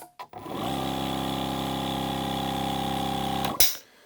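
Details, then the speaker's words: Milwaukee M18 cordless air compressor on a fully charged large battery: relay clicks, then after a slight lag the motor spins up to a steady, even buzzing hum with no knocks or rattles; running normally. "So you can hear the relay in there click on, and then the motor turns on. So it looks like there's a little bit of a lag there. Interesting."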